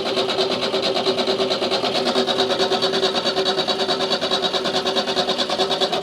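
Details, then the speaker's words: Hot-wired Renault 4 ex-police car, first start using the choke: fires easily into an even, quick ticking idle with a light tappety top end, steady and smooth; runs normally, though water then leaks, seemingly from the radiator. "that was surprisingly easy and it sounded pretty nice to be honest fired up easy sounded nice what a surprise"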